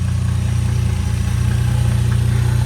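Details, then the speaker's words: Lexus IS300 after valve cover gasket replacement and spark plugs refitted: a steady, even low idle hum with no knocks or stumbles. It smoked slightly on startup from oil that ran into the cylinders; normal idle. "Everything sounds good. Smoked a little bit on startup, but it wasn't too bad."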